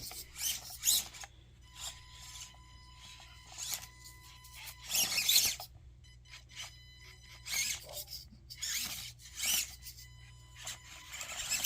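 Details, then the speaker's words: SKPEngineering Warthog LCG RC crawler with Makerfire motor, version 1 electronics and 70mm Injora Swamp Claw tires, on a basement course: high-pitched electric whine rising in bursts as it strains over obstacles; motor whines and struggles under load. "I'm leaving the original audio in there so you can hear it whine and struggle a little bit, but you know, those are the version 1 electronics."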